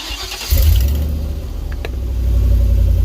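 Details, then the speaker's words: Ford E250 van during a flatbed conversion project. The engine catches and settles into a deep, loud, open rumble far louder than stock, like a mud truck. "and as far as the exhaust goes well you know i mean it sounds like a mud truck right now"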